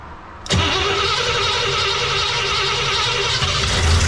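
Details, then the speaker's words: Cadillac 390 V8, bowls filled with gas: steady cranking that never catches or fires; cranking no-start, engine not pulling any fuel. "did it still not pull any freaking fuel unbelievable how does that even make sense"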